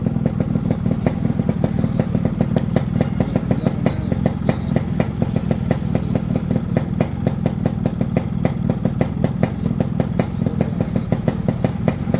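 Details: Restored Yamaha RX two-stroke motorcycle with new chain bracket and new cables: steady idle with an even, quick popping beat and crisp exhaust note, no knocks or rattles; engine sounds healthy.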